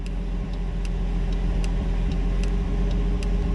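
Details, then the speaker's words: 1959 Chevrolet Bel Air, engine idling, after replacing hyper-flashing aftermarket flasher relay with an AutoZone LL552: crisp evenly spaced relay clicks about two or three a second; turn signal now works correctly. "so that was an aftermarket one which is looks like a hyper flash type of relay so so glad this one's fixed"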